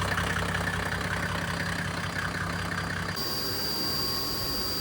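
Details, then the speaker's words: Mercedes OM606 diesel in a Land Rover Defender with a mechanical fan, idling with no fuel pump connected: steady, even idle with a low, regular beat, no misses or knocks; normal. "So, it's run >> still running >> run for 16 minutes with no fuel pump connected."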